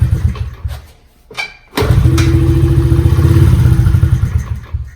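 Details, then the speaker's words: Pit bike floods when kickstarted, with fuel pouring from the carburettor overflow; repeated kick cranking gives an uneven sputtering catch that briefly fires then dies, before carb cleaning. "So it started up there, which kind of was weird, but now it's doing it again. So that was obviously just a fluke. Yeah, see? Now the fuel starts coming out."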